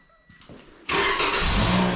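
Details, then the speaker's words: Car after tach programming: a few brief cranking turns, then fires at once and holds a smooth, steady idle; clean start. "there it goes she's running make sure everything works parking lights are on so you know it's running"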